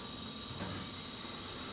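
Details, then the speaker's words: Gas furnace with the thermostat calling for heat, pilot lit by spark: steady soft gas hiss with no whoosh of the main burners; the mains won't light, and the pilot turns itself off after about a minute. "Now the pilot light is burning and waiting to light the mains, but the mains won't light."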